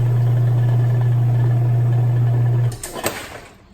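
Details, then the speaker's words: Kenmore 70 Series top-load washer with broken lid switch bypassed: steady even motor hum through the spin cycle, winding down cleanly, with no grinding; spin now works. "you see that our spinning cycle is now working"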